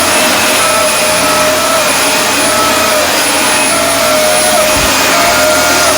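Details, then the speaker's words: Dyson DC24 All Floors vacuum: loud steady roar with a high, wavering whine on top because the dust canister is filled to and past the max line; emptying it is the fix. "So that's how I can tell when the Dyson needs to be emptied, the canister."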